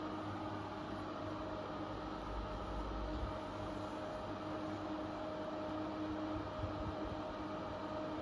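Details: Intervent NVF100P 4" axial pullcord extractor fan, 220–240 V AC, new, running with the front cover fitted: even airflow rush with a steady mid-pitched motor hum on top. Running normally, with some motor whine.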